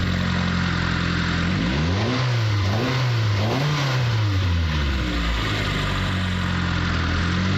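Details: Mitsubishi Lancer CE engine, after fixing spark plug tube seals and plugging in both coils, settles into a steady idle, then revs up smoothly twice and drops back cleanly with no miss or stumble; normal running.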